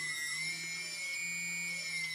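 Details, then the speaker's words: TBS Discovery quadcopter, TBS 900 KB motor after moving the balancing tape: clean steady whine holding constant pitch at throttle, no wobble, buzz or rattle; it looks, feels and sounds good. "and it's looking looking and feeling quite good it sounds good too so I'm quite happy with that"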